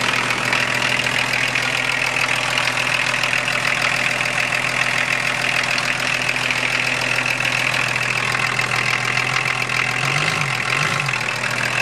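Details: 1981 Datsun/Nissan Maxima wagon 2.8 L diesel, automatic, after replacing broken injection pump timing belt, started after glow plugs, water pump belts off: steady idle with even clatter about three and a half beats a second, no knocks; healthy.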